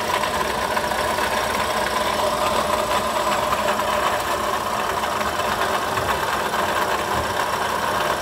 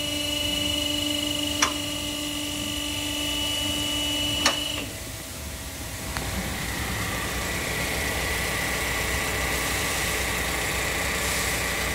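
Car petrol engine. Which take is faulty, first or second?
first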